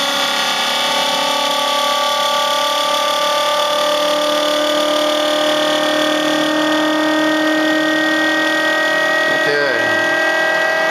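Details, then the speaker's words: RomeroUK Muller generator replication brought up to speed: loud steady whine with rising tones, plus a rough rattly edge from loose internal pieces shaking at speed. "it's uh fairly noisy um I've got some loose pieces in here that rattle so this always sounds like it's going to fly apart when I bring it up to speed"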